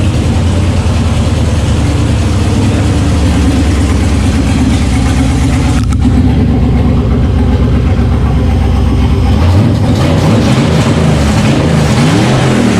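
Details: LS1 V8 truck after its firing order was corrected, first proper run since a fire: steady, even idle on all cylinders, then a clean climb in pitch as it's revved; runs smooth and healthy.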